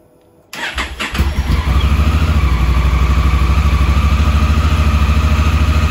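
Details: 2017 Honda Africa Twin, 11,000 miles, after starter switch fix (carbon arcing in the button made the engine start then almost stop): short crank, the twin catches within a second and settles into a steady, even idle at about three beats a second. Starts cleanly.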